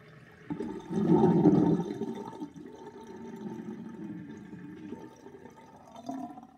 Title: Old sinkdrain with universal sinkplug 38.5 mm with little whirlpool and gurgling sound